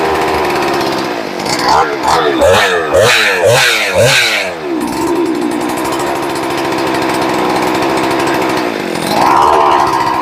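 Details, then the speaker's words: Rebuilt ported, decked Husqvarna 394XP chainsaw, first fire: two-stroke snaps through five quick throttle blips, drops back to steady idle; crisp throttle response, idle needs turning up slightly. "it's running you guys get to hear it obviously it needs a throttle I mean the uh the idle turned up a bit the throttle response is pretty good"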